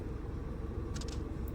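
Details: VW Polo in for stalling after about 10 km and lost pickup, with a P0301 cylinder 1 misfire code. Faults cleared; the engine idles low, even and silent with no stumble. Normal idle.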